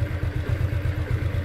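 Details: 2010 Yamaha Exciter single-swingarm motorcycle, first registered 2013, engine never opened: steady, even low thump at idle about seven pulses a second, no clatter or misses; idles smoothly and healthy.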